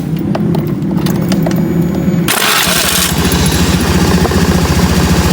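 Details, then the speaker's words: Honda BeAT FI scooter after CVT repair for a rumbling noise: quick crank, engine catches cleanly and settles into a steady putter with no rumble or grind from the CVT at the rear; noise gone, though a worn starter ring spacer may need replacing. "Ini tidak ada noise lagi. Oke. Noise-nya tidak ada, noise di belakang sini tidak ada."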